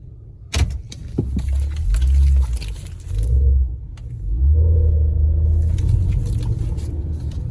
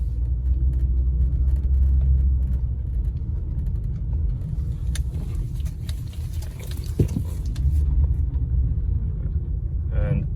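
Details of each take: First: Honda real-time AWD (CR-V/Pilot/Element type), 173,000 miles, rear differential fluid probably never changed: low shuddering groan in bursts only during slow tight turns, K-turns and parking; rear diff clutch chatter from old fluid. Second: Honda real-time AWD, after rear differential fluid drain and refill: low, even road rumble through tight parking-lot K-turns with no groan or chatter; the noise is gone and the rear differential runs quiet.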